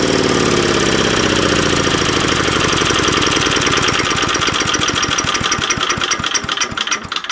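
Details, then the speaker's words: 3.5 HP Tecumseh single-cylinder engine after tune-up: steady even beat with no misses, winding down smoothly at shutdown; running normally. "As you can hear, the engine is now running very well."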